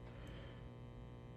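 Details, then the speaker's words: Marshall DSL100 (JCM2000) tube amp with the phase inverter removed, power tubes drawing unevenly (43 mA versus 25 mA), microphone near the speaker. Steady low buzzy hum with no playing; the power tubes are worn out and roasted. "yeah that's possible but that's not really what we're hearing um unfortunately these tubes are roasted"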